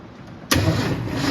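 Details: 1971 Ford F250 3/4 ton 2WD with points ignition, unrun 22 years: slow cranking, suspected from old plug wires, then it catches on two-stroke fuel poured down the carb and holds a loud steady roar. First start after long storage.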